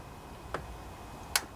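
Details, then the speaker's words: Kohler Courage 18 single-cylinder riding mower engine, during carburetor rebuild: with wire connected and key turned to the accessory/on position (engine not started), two sharp clicks as the fuel shutoff solenoid pulls in, showing it works normally. "That's that solenoid turning on when you turn the key to the on position. So, that's a good way to test that solenoid."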